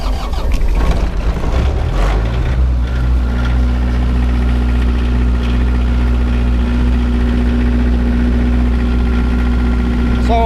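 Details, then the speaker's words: Surplus military 15kW diesel generator, glow plugs on, cranks briefly, catches and settles into steady even idle under no load, firm low drone, no knocks or misses; not super quiet but normal. "as you can tell it's it's it's not the super duper quiet version but it's not bad obviously"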